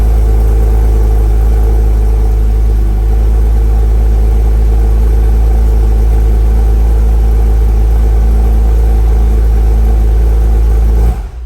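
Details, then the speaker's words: 2006 Porsche Cayman S 987.1 flat-six after new spark plugs and ignition coils, having sat about a week: strong, steady low drone, even beat, no stumbles, ticking or smoke; runs well. "wow the cayman's been sitting for almost a week and there was really no smoke coming out which is kind of surprising to me but that's cool sounds like it runs well"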